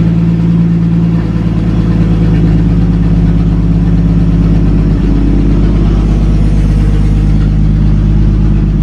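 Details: 1937 Talbot saloon 3.2-litre six-cylinder, first run since 1976 with fuel system temporarily bypassed: even, steady idle with a deep regular beat, no misses or knocks; slightly smoky, oil pressure about 40 at idle, 50 with revs.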